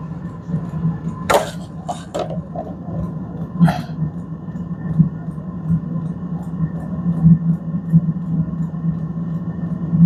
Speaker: Okay, now we hear the air starting to flow.